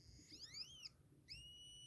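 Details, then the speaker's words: Joule-thief LED light circuit meant for 1.5 V but run from about 4 V: a shrill whistle that sweeps up and down, then settles into a steady piercing tone; the coil is untuned for the overvoltage and the MOSFET gets very hot. "yeah it's loud because it should be only 1.5 volts and it's running off four volts so the coil is not tuned for this high voltage and it gets this guy really hot"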